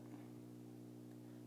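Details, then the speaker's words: Low steady AC-type hum with buzzy overtones on the phono input of a Bang & Olufsen receiver, record stopped and volume turned up loud; only on phono; cause unknown, owner suspects AC hum. "I think it's AC hum listen to this turn the volume up pretty loud and you can hear it"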